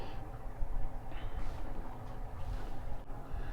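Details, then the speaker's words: Leopard 45 catamaran: a low, continuous rumble and churning inside the hull from the fixed propeller spinning freely in the water. Freewheeling prop noise, normal. "all that noise is the propeller running around cuz it's a fixed prop"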